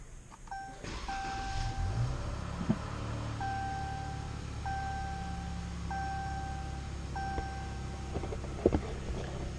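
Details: 2017 Dodge Charger 3.6L Pentastar, first start after an oil and filter change with no warning lights: a low, smooth, even rumble with dash chimes repeating over it, no knocks or ticks, a healthy steady idle.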